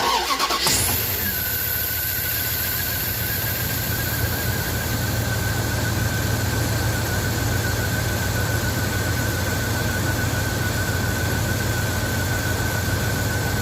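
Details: Cold start after cleaning rust-clogged injectors: cranks, brief stumble while fuel pressure builds (normal), then steady even idle with faint belt whine; smooth on all cylinders.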